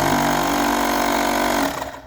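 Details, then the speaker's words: Portable mini tire-inflator air compressor after a battery replacement. Steady, even motor-and-pump hum for under two seconds, then it winds down. The repair apparently worked. "Acredito que o meu não vai ficar funcionando porque ele tá descarregado, né? Eu tenho que colocar para para carregar, mas aparentemente trocando a bateria funcionou, tá?"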